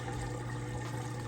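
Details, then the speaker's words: Like-new Kenmore HE washer on final test load, moving from rinse into final spin: steady low hum with water rushing through as drain pump empties the tub fast and normally. "okay we're moving out of the rinse cycle now into the final spin draining that water out nice and fast"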